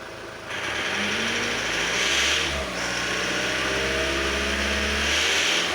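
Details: After ignition timing adjustment the engine idles somewhat quieter, but when revved a thin metallic ring follows the revs; source not pinned down.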